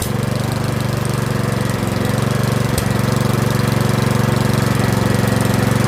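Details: Curb-find Yard Machines 21-inch 179cc OHV single-cylinder snowblower, after a full-throttle run, throttle a hair above the stop; steady, even putter at about four beats a second without hunting or dying, a normal idle.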